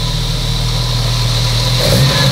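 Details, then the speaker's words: Engine running on a dyno (Motorenprüfstand) with only engine and flywheel, no driveshaft, at steady, even idle; raspy, carburettor-like intake roar (Ansauggeräusch) with no knocks or misses; sounds healthy. "Doch wie so ein Vergasermotor, ne? Also akustisch. Das Geräusch ist das gleiche. Ja, akustisch, so dieses Ansauggeräusch, dieses Röchelnde, das macht er genauso."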